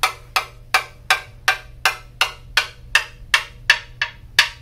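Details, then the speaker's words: Carbon fiber mountain bike frame, older and trail-used, coin tap test: crisp even taps ring clear, pitch changing from down tube toward top tube because the head tube wall is about twice as thick; no dull dead spots, frame sound. "you go up the down tube towards the top tube you hear the difference in pitch as well this is due to the material thickness difference of the head tube being about twice as thick as the down to think of it as similar to a drum or any sort of percussion instrument"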